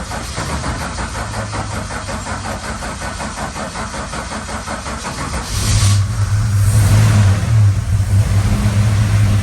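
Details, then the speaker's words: Valiant Charger VH being restarted after weeks sitting: starter churns evenly about three beats a second without catching; crank no start, suspected fuel starvation or running out of fuel. "that sounded like it was running out of fuel again"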